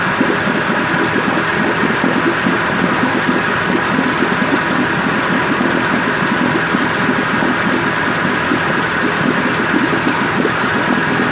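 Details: 1958 Evinrude 18HP Fastwin two-stroke outboard after rebuild (replacement powerhead, new rings, crankpin bearings, NGK B6S plugs), 30-weight oil mix, in water, cover on: steady, smooth unbroken idle burble, no knocks or misses; healthy.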